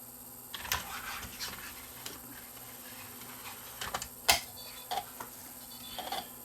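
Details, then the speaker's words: Sony BDP-S350 Blu-ray player that played no discs, after laser adjustment (one pot turned 1/4 clockwise): quiet hum and light mechanical clicks as disc spins up and is read every load; normal disc reading. "It now appears to be reading the disc every time I try to load it."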